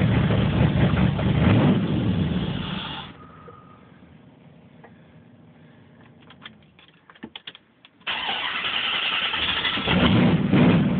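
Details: Warm 1980 Corvette TPI, recorded after a drive: needed several start attempts before catching, then a very rough idle that needed throttle to keep running; hard start and rough idle.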